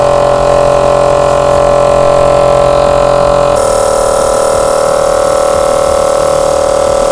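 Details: 25 L air compressor after head reset and repair: steady even hum under music, then the motor cuts out cleanly as the pressure switch reaches its set pressure; normal running.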